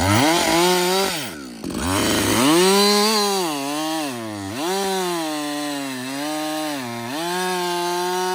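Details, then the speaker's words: Husqvarna 562XP chainsaw, reflashed after dying when hot and stumbling. A clean two-stroke howl bogs smoothly into each cut and recovers every time, pulling evenly. It runs healthy under load. "so far it's running great um I've got I'd say about I don't know"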